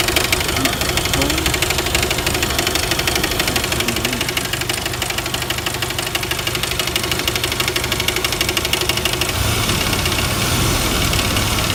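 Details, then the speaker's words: 1999 Jeep Wrangler TJ: steady idle with a sharp, regular knock about three times a second from the front of the engine; timing chain slap or front bearing suspected, source unconfirmed. "but the knock I'm hearing is way in the front end here so I don't it's the front Baron or what it is"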